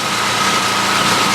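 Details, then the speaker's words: Main house generator, switchable between propane and gas, that shut down and spewed oil the day before: restarted and idling unloaded with a steady high buzz but wavering, hunting beat, not smooth; runs smoother once the house load is switched on. "Something's still not quite right. As you can hear it, it's not just idling smoothly."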